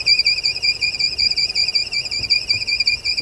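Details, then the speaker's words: 2007 Audi TT six-cylinder at idle with a high-pitched squeal since front-end crash repair: steady piercing warbling whistle from a holed PCV valve diaphragm inside the rocker cover leaking vacuum, not the fan belt. "So the PCV valve is causing that because it's sucking it in. So the diaphragm's gone in the PCV valve."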